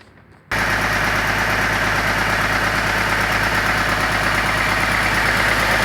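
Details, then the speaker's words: 2002 BMW X5 E53 with M54 3.0-litre 231 hp engine, starting and idling with a steady repetitive knock about three per second deep inside; shop suspects a spun bearing, possibly from oil starvation, unconfirmed before teardown. Engine knock. "автомобиль пригнали на ремонт с характерным стуком в цилиндро-поршневой группы по предварительным предположениям стуки издает разум связи с про вернут им вкладышем"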